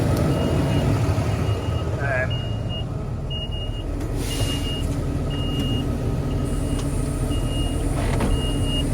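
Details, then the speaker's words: Tractor started on a jump pack after a flat battery: a short high beep repeats about once a second over a steady diesel rumble, warning that it can't select its gear; only neutral selects, and the owner suspects rodent damage on top of the transmission. "Right, we've got this started, it's bleeping at us saying it can't select its gear."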